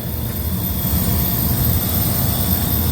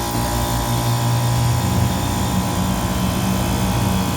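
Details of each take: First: Walk-in freezer condensing-unit compressor on roof, box at 31 degrees: loud steady roar with constant high hiss, internal relief valve bypassing discharge to suction, likely from overheating caused by a plugged condenser. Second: Walk-in freezer refrigeration rack just restarted after the compressor was steaming; condenser is wet and head pressure dropping, with condenser fans on fan cycle controls. Steady, even low hum with constant pitch and fan whir, no knocks; running normally.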